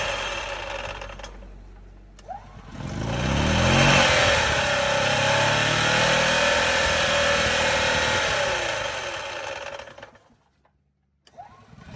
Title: EZGO TXT Gas- Clutch grinding noise